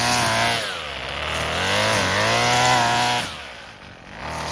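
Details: Husqvarna 128LD string trimmer, two-stroke on 2-cycle mix, after carburetor replacement and tune-up (plug, fuel and air filters; formerly barely ran, never off choke), cutting grass: high buzz climbs and dips smoothly with throttle, holds speed without bogging; normal under load.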